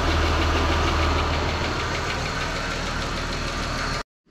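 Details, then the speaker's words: 2015 Ram 1500 Tradesman 3.6L Pentastar V6, also leaking at the oil cooler: even, quick ticking at about four per second over a steady idle, believed from the passenger side; fairly confident it is a bad rocker arm. "I'm not sure if you'll be able to hear the difference but I'll get things close we're pretty confident with one of the rocker arms but we'll see once we get in there on this side"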